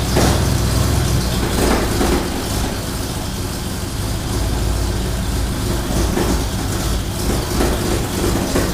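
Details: Ford Bronco V8 after motor rebuild, first run, recorded from across the shop; even rumble holding a steady idle with smooth regular beat, no knocks or ticks. Normal running; carb noted running a touch rich.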